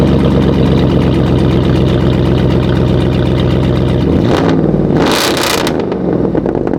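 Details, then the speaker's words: Cadillac Escalade V8 cold start after sitting about eight months: quick steady tick about four per second over idle, then rev blip; exhaust manifold leak from broken bolts, engine to be removed for repair. "There's broken bolts in the area back here. So, that's the reason why um you hear that little ticking noise."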